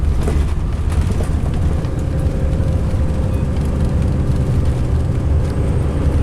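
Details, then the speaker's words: 2005 MCI D4500 coach, Sound Transit route 594 to Seattle/Tacoma, heard running; heavy, steady low rumble with a coarse, shaky undertone and no clear knock, the coach shakes and sounds rough, cause unknown. Rough running. "Hate that sound, my God. This coach is so rumbly."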